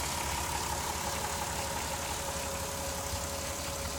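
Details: 2002 VW Jetta V6, 158k miles, after crankshaft position sensor replacement for P0321/P0322 codes: steady idle with a thin, constant-pitch slow whine over a fluttering, uneven pulse; source not pinned down.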